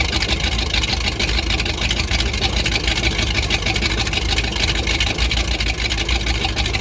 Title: Rough idle after snapping throttle